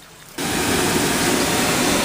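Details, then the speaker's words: HVAC air handler blower at a church after removing a hung-up object from the blower: smooth even rush of air, no rubbing or rattling; fan wheel spinning freely, noise fixed. "Okay, y'all. There she is. Spinning free. No more noise."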